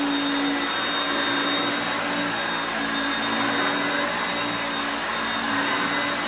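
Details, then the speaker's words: Hoover Concepts self-propelled upright vacuum: steady high motor whine whose pitch shifts slightly as the drive gears change while it is moved back and forth; operating normally. "so the one thing I noticed is that when you put it on the drive for the self-propelled you will hear the motor pitch change as the gears change to me moving it back and forth as you can see there"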